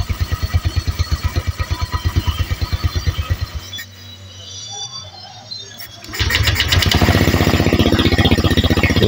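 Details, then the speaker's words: Honda Vario 150 (old) scooter engine reassembled from scratch, first start: hard to start, then steady even idle with a quieter stretch before firming up; smooth running, no knocks or rattles, break-in idling planned. "Oke agak susah Oke akhirnya berbunyi mas motor ini ya oke motor sudah berbunyi"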